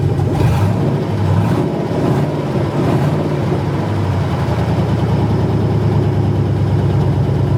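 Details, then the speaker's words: 1980 Chevrolet C20 with 4.8L LS swap, fire-up after swap: loud, deep, even open-header bark, clean rev and steady settle, no knocks or misses; started as it should, fuel pump inaudible. "well guys that felt pretty good it fired up just like it was supposed to I found the fuel system three times and I couldn't even hear the fuel pump running"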